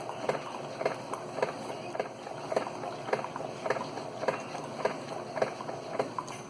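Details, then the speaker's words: Keurig 2.0 K300 coffee brewer with a mechanical pump, after repair (had not been pumping; cleaned with vinegar, coffee grounds cleared from a tube): regular soft clicks near two per second over quiet hum, ten-ounce brew taking about 50 seconds; normal pumping. "She's pumping. We have coffee coming through. There it is. Ten-ounce cup. And there it is. Takes about 50 seconds."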